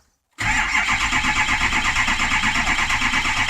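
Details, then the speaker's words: Gary's diesel truck, 113,000 miles, with cylinder seven contribution balance issue and EGR issues, starting for a power balance test: starter churns steadily for several seconds with even rhythm, no firing; unexpected long crank. "oh wait a second wait a second here i don't remember him saying had an issue with the long crank"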